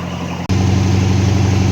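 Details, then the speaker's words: MG Magnette ZB V8 Coupe, cold start with automatic mechanical water chokes, heard near the exhaust about two minutes into a three-minute fast idle: steady even low rumble, raised idle, no misses or knocks; normal. "but you can still hear that it's on fast-idle a minute or so left"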